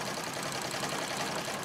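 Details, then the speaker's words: Singer 66 treadle sewing machine during free-motion quilting: busy, dry clatter with an uneven rattle throughout, running rough; owner hears rattling and plans to clean the feed dogs and bobbin area and oil it; cause not confirmed. "but I can hear the sort of rattling sound just about going to be"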